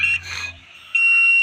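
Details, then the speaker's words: Fridge compressor terminal check (common, running, starting pins) with multimeter continuity: short high beep, pause, then steady continuous beep on next pin pair; continuity present, compressor windings intact. "यहां पर एकएक करके सारी पिनों में हमने लगाकर check कर लिया है हमारा कंप्रेसर है बिल्कुल सही तो इसका मतलब है कि हमारा कंप्रेसर सही है"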